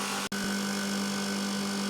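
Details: Copeland ZR42 scroll compressor on an ice-builder system after replacing the contactor, overload and capacitors: a steady, even low hum with no rattles, knocks or dropouts; running normally.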